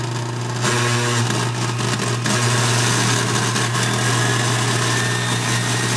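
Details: Barely used six-to-seven-year-old KitchenAid Artisan mixer, rough since new, stopped then ran again after new brushes and speed control plate adjustment: constant motor hum with rough gritty grinding; owner suspects armature, governor, bearing or speed control board.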